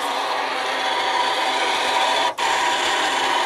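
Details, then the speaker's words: 2008 Toyota FJ Cruiser old rear wiper motor, bench-tested removed from the door: steady harsh rasping grind runs nonstop with a brief dropout, even with the shaft not touching metal; internally worn motor, replaced with a genuine Toyota part. "So I hooked up one of the old motor, and you can hear it right now is making a terrible noise."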